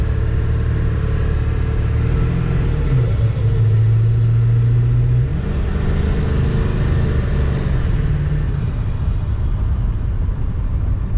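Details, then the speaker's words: Ford F250 Super Duty 4x4 7.3 turbo diesel after rear driveshaft and carrier bearing replacement, driving: smooth deep rumble rising with throttle, no more wah-wah vibration or clunking. "now there's no vibration no clunking no nothing you can hit the gas and just move"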